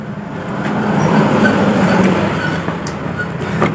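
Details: Yamaha Aerox scooter at idle, reassembled while awaiting parts; complaint of loud noise near the CVT case/primary pulley. Harsh metallic rattle knocking three to four times a second. Cam chain, tensioner, cam bearing and rocker arm were checked fine. The knock comes from worn connecting rod and crankshaft bearings.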